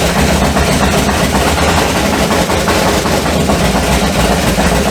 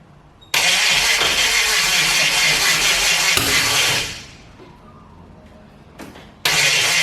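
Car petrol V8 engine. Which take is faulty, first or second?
second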